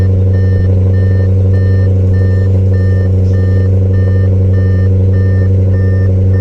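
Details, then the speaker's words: 2015 Audi RS5 V8 after replacing failed factory PCV valves with billet aluminum units: deep, even idle with no vacuum whistle or hiss (old valves whistled loudly under vacuum), regular beeping in background; normal idle. "Sounds good. I don't hear any whistling whatsoever."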